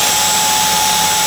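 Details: Dyson V10 Animal Extra cordless vacuum, switched back on after checking for blockages: a steady, even motor whine of constant pitch with a smooth airflow rush, running normally.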